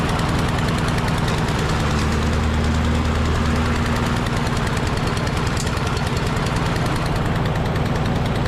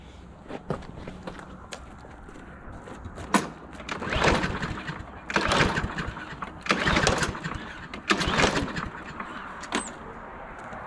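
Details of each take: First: Husqvarna LC 221A push mower with a Briggs and Stratton engine, which sat over winter and would not start, after its carburetor was cleaned: loud, steady rapid firing at about three beats a second holds an even rhythm with no stumbling or surging. Normal running. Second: Husqvarna LC 221A push mower with Briggs and Stratton engine, sat over winter, fresh gas added: five or six rasping pull-cord yanks, never catches or fires; owner suspects gas dried up in the carburetor clogging it, fix is disassembly and carb cleaner.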